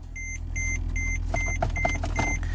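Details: Mercedes-Benz E-Class: about seven quick, even high beeps over a quiet idle; car won't go into gear or come out of park, warning chime sounding.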